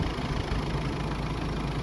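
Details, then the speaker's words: Hyundai Terracan 2.5 diesel D4BH idling steadily and evenly with a smooth low rumble, no knocks or misses; clip from before the engine was taken apart, when it ran perfectly; normal idle. "А так ничего, работает ровненько, нигде ничего не"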